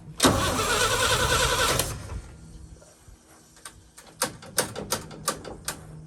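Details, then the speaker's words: 1966 International Harvester 1100A pickup, BG 241 engine, entombed 24 years, new battery: starter cranks steadily about two seconds with no firing, then clicks; crank no start, no spark, points later replaced. "I don't think it's getting any spark"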